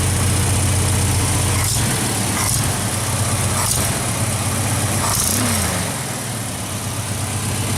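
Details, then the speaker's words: Engine just converted from Pertronix back to points ignition: a steady idle with a quick tapping tick of about four per second from an exhaust manifold leak at the center cylinder, where the gasket is blown. "we've got a pretty big vacuum knee I mean a exhaust leak over here somewhere you can hear it tapping"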